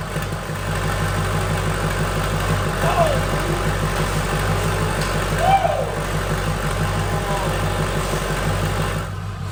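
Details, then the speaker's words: Freshly built diesel in a mud truck on first startup, ICP already 87 lb: settles into a steady, even, smooth low idle with no knocks or rattles; normal idle. "oh my god oh it's running good too no major leaks yet everything's pretty solid"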